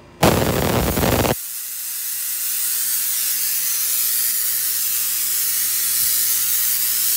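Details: Tesla coil with a capacitor plate added on top, unbalanced and set too close: a harsh buzzing crackle, then a steady screeching sizzle at the spark gap. Detuned coil.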